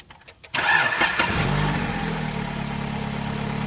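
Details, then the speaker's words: Dodge Avenger with an intermittent no-crank, started after a new battery (12.31 V before start) and a new battery cable end: short crank, catches right away to a smooth, even idle, charging at 14.46 V. Normal start and idle. "It's charging good. We're up to 14.46."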